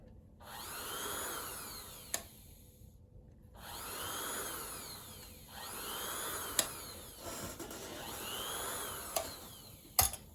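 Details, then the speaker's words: Kenmore Sensor Sew 70 (385.1950280) sewing machine, previously locked up, freed, motor and foot pedal plugged in: motor whirs a second or two, cuts out, restarts repeatedly; intermittent stopping, overload protection suspected. "plug this in turn it on that's weird it starts and it stops"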